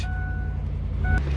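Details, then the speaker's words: 2003 Ford Expedition XLT after replacing a burnt PCM relay and melted fuse that caused no crank with only clicking: engine now starts and hums at a steady, even low idle with no misses or knocks, so normal idle. "so like I said oh wow I I I fixed it"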